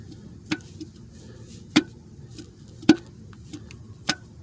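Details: Torn-down 3800 supercharged engine, crankshaft rocked by hand: sharp metallic clicks about once a second from crankshaft bearing play; owner suspects wrong oil (5W30 instead of 10W30) caused it and plans new crank and bearings.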